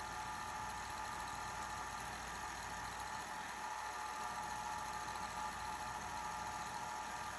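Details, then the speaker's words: 1980 Sony Betamax SL-5800 VCR after cleaning, second tape; steady even whir with faint high hiss, no catching or slowing, rewind normal. "fast forward work good for a while and rewind is going good too"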